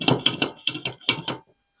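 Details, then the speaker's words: Paraffin kerosene blow torch, valve tightened: six quick, even clicking hand-pump strokes in about 1.5 seconds, then silence, with pressure felt building straight away. The hand pump is working normally. "and straight away I can feel the pressure in there it feels [Music] good"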